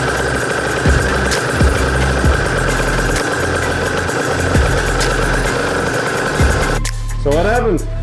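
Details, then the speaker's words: Aprilia RS 125 two-stroke barn find, first start after years sitting, on 1:40 premix, after fixing a leak: crisp rapid popping holds steady and picks up cleanly on throttle; normal running, no longer leaking. "took it off checked it change some things put it back on now it's not leaking and it's running so really nice"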